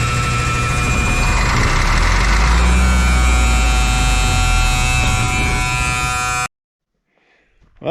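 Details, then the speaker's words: M35A2 military truck 148 after sitting long, cranked without ether, clean fuel and tank: starter churns about four beats a second for six seconds, never fires; no fuel reaching injection pump, owner suspects air in system; no-start. "that's a little bit of a bummer uh 148 won't start it's not getting fuel I checked the fuel line no fuel even getting to the uh uh injection pump"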